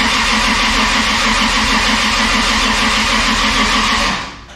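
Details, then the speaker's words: 2JZ engine swap, first start attempt while watching ECU trigger errors: about four seconds of even quick cranking with no catch; fuel pump disabled, so it cranks without starting, though the ECU reads rpm and wiring checks out. "all right i'm gonna do that again i'm gonna watch my errors on my triggers here and see if it if it thinks it could start"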